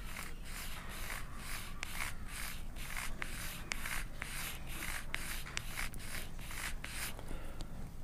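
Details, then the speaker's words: Rhythmic scratchy rubbing about twice a second from a Traxxas TRX-4 Sport single-speed transmission under load; straight-cut gear dragging on the plastic case inside, picking up plastic, heard as clicking. "but it's driving this gear that direction and it ends up dragging on that surface inside the case so here it sounds like this"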